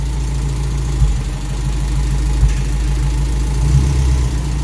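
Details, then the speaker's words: Toyota Corolla KE55 4K-C engine, first start, timing not yet set: low, even four-cylinder idle holding steady with small dips and no knocks; running fine. "but that's awesome we got the car idling and it's idling not bad"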